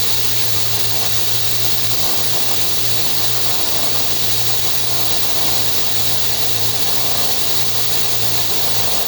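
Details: FH680 spindle running after cable replacement: steady low hum under a loud, harsh hiss and whir, constant throughout; noisy spindle, a rear bearing is suspected but unconfirmed.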